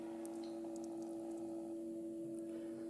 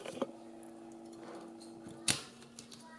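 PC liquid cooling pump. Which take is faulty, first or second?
first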